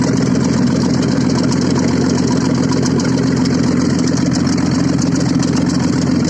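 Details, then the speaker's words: Audi engine started after repair, running without exhaust: loud, raw but even idle with steady low beat, no knocks or misses; normal idle. "работает без выхлопа."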